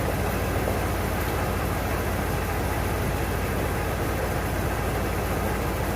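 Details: 1992 Ford Bronco, first start after being bought not running, coolant almost empty, oil a quart overfull: loud, heavy, uneven lumpy idle about two pulses a second; rough idle, starting to smooth out.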